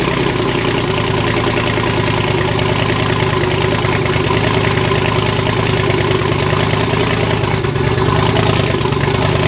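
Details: Twin-turbo V8 Pontiac G8 after head gasket replacement, new wiring and new coils, fitted to cure a misfire under boost: deep, steady idle rumble with constant pitch and no miss or stumble. Normal idle.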